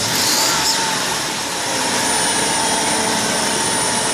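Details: 2006 Chrysler Town & Country revved repeatedly from cold start, higher each time: a thin, steady high-pitched whine over the petrol engine's rev, almost like a small turbine.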